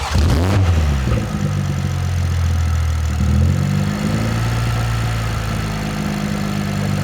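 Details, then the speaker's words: 2024 BMW M340xi (Gen2 B58) after reinstalling the transmission, started to get fluid into the torque converter: catches instantly with a short rev flare, then settles to a smooth steady idle with no knocks or misses; healthy. "And we got to start it and get some transmission fluid flowing through there into the torque converter."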